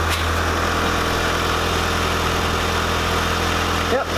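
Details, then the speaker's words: Mitsubishi Spyder idling after a fresh stock exhaust system and sensors replaced a leaking exhaust: smooth, steady low drone, much quieter, no puffing or ticking; no leaks, healthy idle. "Jeez. Sounds so much quieter. Right? Honestly."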